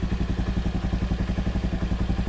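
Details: Honda Beat carbureted scooter that pulled weakly from a leaking carburetor vacuum, after fitting the new vacuum part: a small single putters at about ten even pulses a second with no misses. Idle now steady and normal.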